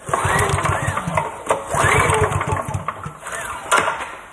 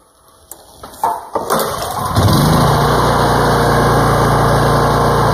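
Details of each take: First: Older Honda generator that refuses to start: repeated recoil pulls give short chuffing bursts that never catch. No spark seen at the plug. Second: Older Honda generator that previously wouldn't start and showed no spark, now restarted: catches on the pull and settles into a steady, even hum, typical one-pull Honda start; healthy start.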